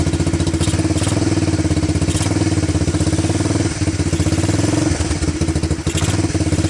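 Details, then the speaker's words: Honda TRX250 ATV single-cylinder after diesel-contaminated fuel was dumped and fuel fed from a bottle, choke on: steady, quick even idle thumping with only a couple of small dips; normal idle. "well seems to run idle start move"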